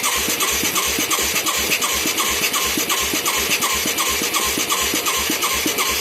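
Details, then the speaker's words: Mid-1980s Yamaha YFM200 Moto 4 ATV with new carburetor and new plug: quick steady single-cylinder thumping about three firings a second with sharp spitting chuff at the intake; carburetor spit-back/backfire, valve problems suspected. "Oh yeah, pop in my face. I love it. Yeah, that sounds like a freaking valve when it does that."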